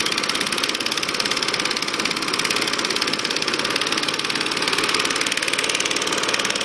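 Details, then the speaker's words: Acto lawnmower with new filter, cleaned/checked plug, fresh SAE 30 oil and electronic ignition started: steady fast firing, buzzy even exhaust note, no misses, knocks or surging; normal healthy running. "And I'll start it up now for you to see and hear it running. And I'll take it up and down the lawn here."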